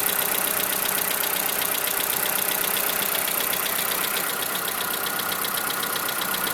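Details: 2011 Skoda Fabia: steady idle with a light, regular tapping of roughly two knocks a second above the engine hum; a knock from inside the engine.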